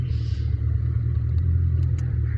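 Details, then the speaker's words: 2000 Ford Mustang 4.6 V8, coil-on-plug, misfiring with no codes after a tune-up: heavy, uneven rumble at idle in reverse with the engine shaking; scan-tool misfire tests detect nothing. "entonces pruebas de fallos de encendido no me está detectando absolutamente nada y el carro pues ahí está fallando"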